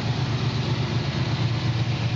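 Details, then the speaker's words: 1967 Chevrolet Camaro at idle after the electric choke brought it down quickly: smooth, even low idle with steady pulse, no tapping, misses or knocks, running healthily. "première vue un moteur qui tourne bien on livre pas il s'est mis au ralenti donc par l'intermédiaire du starter électrique c'est mieux ralentit très vite et ils tournent très régulièrement"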